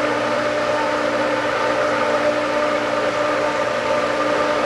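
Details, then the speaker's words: Pool pump after spring opening and priming: smooth, steady motor hum with constant pitch and no gurgle or rattle; pump holds prime and runs cleanly. "More and more. Oh, I'm hearing good sounds. Oh, that sounds good."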